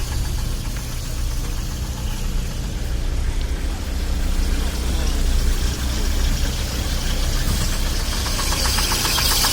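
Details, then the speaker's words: 2006 Daewoo Sens engine running on LPG after switching from petrol, listened to with the hood open: uneven knocking about once per second over rough running; onlookers suspect a maladjusted or dislodged valve, not confirmed. "Это клапан. Клапан не відрегулірований."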